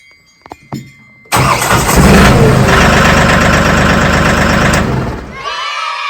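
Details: Mahindra 1635 tractor with a dealer-rebuilt starter and load-tested battery, booster pack attached: faint clicks, then about four seconds of steady cranking that winds down. Hard starting; owner suspects the pinion gear is not engaging. Cause unconfirmed.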